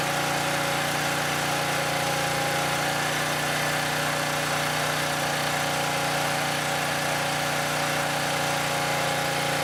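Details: Southland lawn edger after a no-start with a new spark plug, carburetor checked: steady, even idle with constant buzz and no hunting or misses; normal idle.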